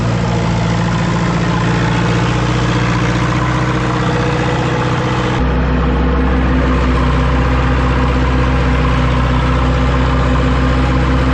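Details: Ford 2701E 240 CI 4-cylinder diesel grapple log loader after 15 years sitting: steady, even deep diesel idle with regular beat, no knocks or misses; normal idle.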